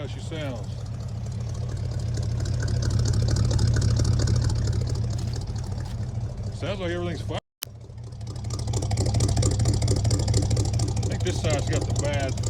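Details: 1972 Chevy C20 after months parked, electric fuel pump temporarily wired, just started after flooding and burning off old fuel; warm V8 idle with a lumpy, uneven exhaust beat, as if one bank is missing. Owner suspects valves or rings; cause unconfirmed.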